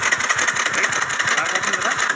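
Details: TVS Scooty Pep petrol scooter with a won't-start complaint: quick, even starter cranking with steady compression pulses but no catch. Spark checked OK; cause was blocked carburetor jets.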